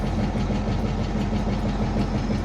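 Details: 1966 Ford Mustang, after sitting years with a rusted tank, running on fresh fuel fed to the carburetor; oil pressure up promptly: low, even steady idle rumble, no misses, knocks or ticks; normal idle.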